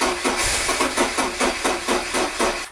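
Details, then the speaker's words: 1986 Porsche 944 Lux after sitting unused since last May: starter churns evenly about four beats a second but never fires; owner first suspected sticking injector or low fuel pressure, fault found to be spark plugs; crank no start. "as you can see it doesn't start and today in this video we are going to try and fix that"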